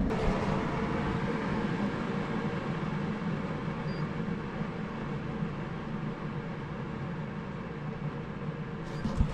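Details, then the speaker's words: Replacement rooftop air conditioner, just installed and set to 70 degrees: soft steady fan-like rush, quiet as a Fantastic Fan, no rattle, squeal or cycling; running normally. "It's so quiet. This is just like a fan. Similar to a Fantastic Fan or"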